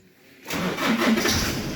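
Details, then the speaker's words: Nissan Navara D40 after repair of a fault with no engine warning lights, no power to components and no start; 12 V supply restored, it cranks briefly, catches at once and settles into a steady, even idle; normal start. "ครับเครื่องยนต์ติดปกตินะครับ"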